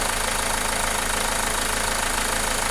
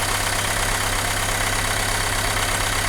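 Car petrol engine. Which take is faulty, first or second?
second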